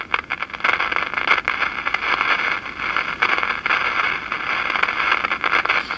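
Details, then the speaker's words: 1947 Philco 46-1226 tube radio-phonograph under repair: irregular sharp crackles and pops over a steady hiss, coming in bursts. Suspected silver mica disease or a paper capacitor about to short, unconfirmed. "that sounds like silver mica disease except this doesn't have silver well it does have some silver mica capacitors in it but it doesn't have silver mica if transformers could be a paper capacitor getting ready to short"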